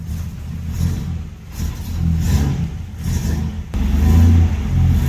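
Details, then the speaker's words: RB30 six in a Nissan Patrol GQ, running cold on a cold day: engine blips up and settles repeatedly with a slightly uneven cold idle and no knocks or rattles. It revs freely and healthily. "She's running. Bit cold. It's a cold day. But it's running."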